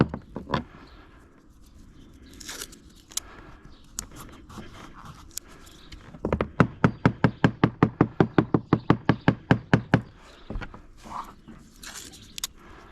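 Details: Halcyon 23 fiberglass sailboat deck tapped with a screwdriver at soft spot near a screw: about twenty sharp taps giving dull, flat thuds instead of crisp clicks; no squish underfoot; possible wet core suspected, not confirmed.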